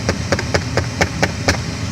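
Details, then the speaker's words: 2008 Dodge Avenger HVAC on recirculate: steady sharp tapping behind the dash, about four clicks a second, from faulty air door actuators (Dorman 604-029), a common Dodge problem. "when you recirculate a seat here now tapping noise and something I"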